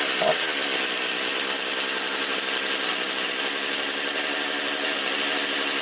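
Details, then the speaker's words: Motor Sich 475 with a misbehaving carburetor: a thin, buzzy two-stroke idling fast and even after a cold start on half choke, idle screw turned up slightly; the owner is unsure whether it is now too high. "Пішла я думаю треба холостого ходу добавити трішки О чуть-чуть докрутим може забагато не знаю ю але хай робить зараз"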